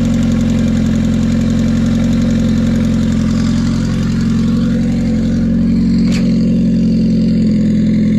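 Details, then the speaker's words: Car idling with a quick, even tick of about four per second over a steady idle. Owner believes it needs a valve adjustment (unconfirmed) and reports a gauge not working when accelerating. "So I'm gonna go outside, let you hear the ticking sound, because I want to hurry up and turn it off so it doesn't burn the plastic when I put it on the car."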